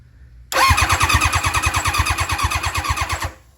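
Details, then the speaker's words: Nitrous Hayabusa, 2018 championship winner, being revived after long storage: starter churns at about three pulses a second, uneven and dragging, never catching; sluggish slow cranking, battery sounds weak. "Our batteries sound like it's getting weak."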